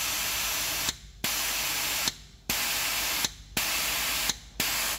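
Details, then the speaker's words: Nissan Patrol Y61 RE4R03A automatic transmission, normally open solenoid bench-tested with compressed air: steady air hiss cut off by sharp clicks into clean silence when powered, solenoid sealing properly with no leak. "see that i don't know if you can hear it the clicking of this once it's click it shut down the line yeah that's good because it's not leaking and on the other side also"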